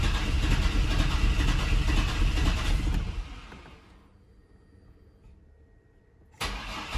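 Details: Chevrolet S10 unrun for 5 years, after a fuel tank swap, with fuel confirmed at the line: the starter churns evenly for about three seconds without firing. Cranks but won't start; owners suspect a fuel injector plugged by bad ethanol fuel.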